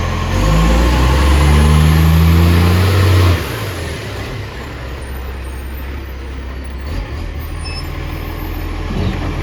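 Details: Ex-Canberra 728 diesel revved loud and dropping back to idle with rough, blatty exhaust pulses; exhaust leak, location unknown.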